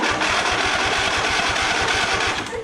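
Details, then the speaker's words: Lawn tractor, John Deere 145 or Cub Cadet LTX1050 sharing the same 724cc engine, fully charged battery: sluggish cranking about five beats a second with a harsh grinding edge, much slower than the identical engine; starter probably to be replaced. "I'm probably going to replace the starter. I found a starter for like 30 bucks cuz that sounds really really nasty."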